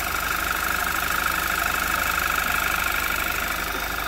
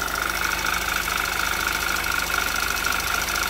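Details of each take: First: 2011 Audi TT Quattro 2.0T TFSI, first start after engine-damage repair and sitting 1.5 years, slight throttle, no check engine light. Even, smooth idle with a faint high hum from the fuel pump; nothing abnormal. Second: 2011 Audi TT Quattro 2.0T TFSI first run after engine damage repair, sat 1.5 years, chilly day: light fast ticking three to four per second over idle, oil pressure 40–45 psi, no check engine light; owner suspects lifters still filling.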